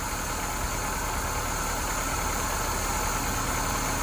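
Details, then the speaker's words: 2001 Saturn SC2 started after battery refit, engine cold: catches and settles into a steady, even hum with no knocks or misses; running fine after sitting, check-engine light on. "Saturn is running oh my goodness huh I arrived it no you can let's see what the see what the RPMs are at and she's cold too"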